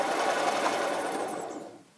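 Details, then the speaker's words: Rebuilt EZGO 295 golf cart engine, new motor, cranking with plugs out: rough fast mechanical whirring grind winding down, also heard when running; generator ruled out with belt off; owner suspects bearing noise. "a bearing noise to me and you can hear it when it's running as well seems quite loud"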